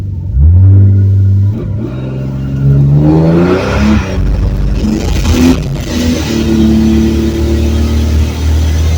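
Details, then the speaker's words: 1970 Ford Torino turbo inline six with new two-muffler exhaust, driving after gear swap, 9 to 11 lb boost: engine pulls up smoothly with subdued muted exhaust and faint turbo whir, normal exhaust note. "well that was literally like the first Tex swag got done from a dead stop it's spun pretty good so car feels good gear change feels good it's good and quiet"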